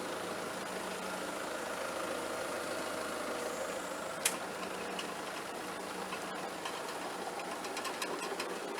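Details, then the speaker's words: Allis Chalmers sickle mower converted to 3-point hitch on a Kubota tractor, engaged lowered in working position: even, steady cutter bar chatter with no knocks or binding; noisiest part is the PTO guard. Normal running. "that is running really smooth the noisiest thing is the pto guard"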